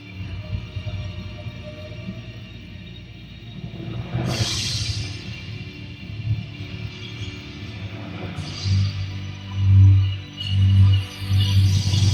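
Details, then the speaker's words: Sony HT-Z9F soundbar, software 2.314, playing a local downloaded music file over Bluetooth from a computer: booming bass level dips and cuts out throughout; intermittent audio dropouts persist on Bluetooth. "Alright, just showing how it cuts out. You could hear it at the beginning there and throughout."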